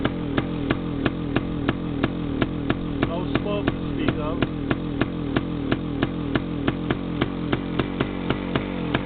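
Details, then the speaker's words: Yamaha DT360A two-stroke, idle originally set about 1,500, choke on then off: ragged, uneven firing as throttle opens; first time it revved instead of dying; cause unclear. "Now I'll take the choke off. That's actually the first time I got it to rev. Before it just died."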